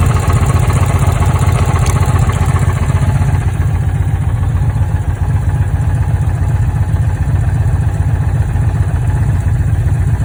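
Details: Dodge Challenger with misfire codes: deep, loping idle with an uneven beat of about two or three pulses a second; the lumpy rhythm points to a misfire.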